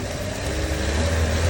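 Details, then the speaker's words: Car that would only start in the morning and not restart after shutdown, now repaired, at normal water temperature: low, even idle hum with no knocks, misses or rattles; normal idle, problem solved. "look here the engine is running very smoothly the problem has been completely solved"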